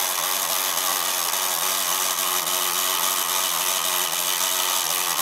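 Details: MSI GP66 Leopard laptop (RTX 3070) after a few weeks of use: loud, steady harsh grinding as the malfunctioning right fan jams; owner suspects a defective fan or loose blades.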